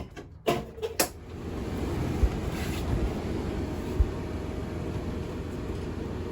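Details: RV furnace after control board replacement, reinstalled with ductwork and gas line connected and line bled: a couple of start-up clicks, then a steady, even blower rush with no rattles or surging; normal operation.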